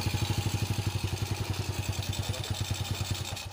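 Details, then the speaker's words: Honda Supra X motorcycle that previously had a rough rattling engine at low and high rpm, heard after a repair found and replaced a broken cam chain tensioner. It now has an even, steady thumping idle with no clatter, much smoother than before. "Bagus sekali ya hasilnya seperti ini setelah kita melakukan perbaikan pada bagian tensioner. Nah, jadi kerusakannya ada di tensioner yang patah. Jauh lebih halus daripada sebelumnya."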